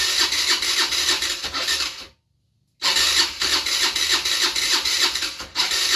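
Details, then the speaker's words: 50cc scooter being revived, with spark, fuel and oil: starter whirs in quick even pulses about three a second, a brief pause, then more cranking with no catch, only a couple of puffs. "I heard a puff a couple of times"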